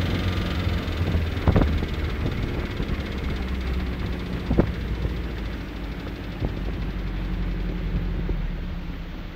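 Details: 1972 Mercruiser 3.0L 181 cu in 140hp boat engine, all plug wires attached, runs with irregular sharp knocks over idle; engine pulled, crankshaft and rod bearings look fine, lower unit swapped, knock remains, cause unknown.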